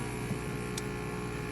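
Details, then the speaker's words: Breville BES990 espresso machine: the water pump buzzes steadily and nonstop with no change or load, but the water level does not seem to drop. The pump is suspected of not drawing water. "So, the pump is still running apparently. Um it looks like the water might be going down. I'll have to see what's going on here. We might have a an issue with the pump."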